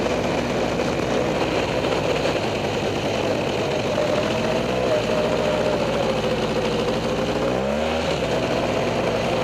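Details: Freshly rebuilt Polaris 400 single-cylinder engine, after a few heat cycles, on a slow break-in ride around the yard: steady drone with a brief gentle rev near the end, smooth at low speed, no knocks or rattles; smoking noted.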